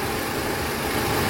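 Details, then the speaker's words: 2018 Toyota Alphard after water pump replacement, no leaks and test-driven: smooth, even idle with a steady low rumble, no knocks, rattles or rough pulley noise; engine sounds normal. "Suara mesin juga normal ya, halus."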